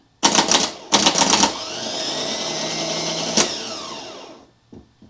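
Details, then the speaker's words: Cadillac CTS-V starter bench-tested with a heavy-gauge jumper wire (a thin wire gives a false reading): solenoid clacks, then a high, even whirr winding down; starter spins freely and works. Owner blames the fragile plastic ignition-wire pigtail connector for starting issues. "so the starter works"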